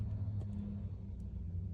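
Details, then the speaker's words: GM food truck engine idling after an ignition switch replacement fixed a no-start; low, steady, even rumble with no knocks or misses, running smoothly. "Alright, here we go. I hear the food truck. It's running and working."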